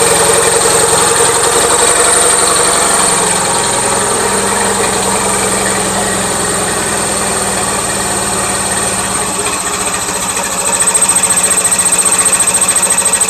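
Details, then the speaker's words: Gravely 450 with Onan CCKA twin, shroud off, idling with a steady even knock about four per second; running a little rich, owner suspects compression escaping or piston trouble, now doubting cam bearings; knocking noise. "to me it sounds like compression escaping somewhere trick is I don't know which son okay back to the drawing board I'm starting to not think it's cam bearings"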